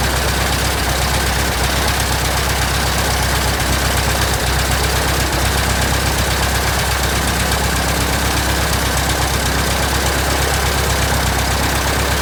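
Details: 1967 Citabria restoration, first start: loud, steady low throb with propeller wash hiss, even firing, no misses or knocks; normal idle.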